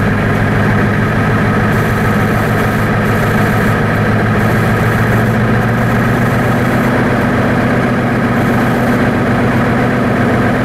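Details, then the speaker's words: 1990 Ford F-Superduty, naturally aspirated 7.3 IDI diesel, revved to about 2,000 rpm: flat, lumpy drone lacking punch, poor throttle response, as if on half the cylinders; suspected bad injection pump or injectors after water in the fuel, unconfirmed. "come on it's very uh it's backlusting and uh oh throttle response it it sounds like it's not running on all cylinders"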